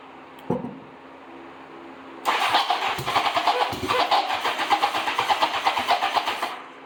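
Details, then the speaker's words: 1987 Honda Gold Wing GL1200 parts bike with electrical problems and possibly bad gas, running on open pipes. It catches and runs with uneven, stumbling exhaust pops. Rough running; ignition problem suspected. "I might hook it up to the original tank and run it but definitely something ignition system is not right but it runs"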